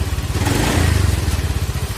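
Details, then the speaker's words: Honda Beat FI scooter after repair of a rough CVT/gearbox noise (earlier harsh droning around 60 km/h): engine blipped on the stand, firing speeding up and settling cleanly with no clatter or rough knocking; now sounds healthy. "suaranya aman udah enggak seperti info2 nya Kasar banget"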